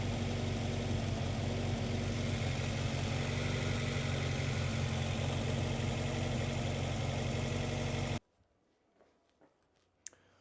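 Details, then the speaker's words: Honda CR-V after new fuel pump and fuel filter, fuel pressure about 30 PSI: low, lumpy idle with dull uneven pulse for eight seconds before shutting off; still misfiring at idle, needed throttle to keep running. "Running again on its own, but I had to give it gas again."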